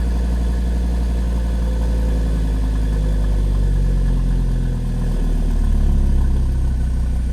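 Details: 2013 Audi TT RS (8J) cold-start warmup idle, after refitting the intake manifold flaps and port separators removed during carbon cleaning. That removal had caused cold-start misfires and a check engine light. Now a deep, even idle with a steady beat and a slight lift in speed, no stumbles.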